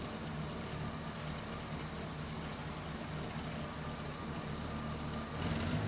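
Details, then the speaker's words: 1982 Ford LTD Crown Victoria, stock 302 V8 with vapor lock problems, running after in-tank fuel pump install: steady idle with a slightly hard, crisp beat, no misses; timing set well more advanced than expected, to be adjusted. "Okay, this thing's got quite a bit more timing in it than I was thinking the guy would want on a stock 302. So, we'll play around a little and adjust this."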